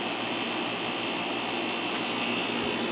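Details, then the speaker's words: Fedders 7500 BTU window air conditioner, the older unit, cooling after building pressure: a steady loud hum and hiss with a constant tone near 2.5 kHz. The compressor got louder as it always does, drawing about 476 W, and runs normally. "and the compressor just shot louder again like it always does after a"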